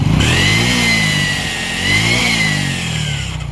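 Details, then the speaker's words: Honda XRM motorcycle engine revving with loud steady metallic whine: starter gear rubbing the large crankshaft gear, damaging the crankshaft. "Hindi ako nagkakamali mga idol ay yung gear sa starter mga idol. Yung malaki yung crank shop niya ay tinamaan niya na mga idol."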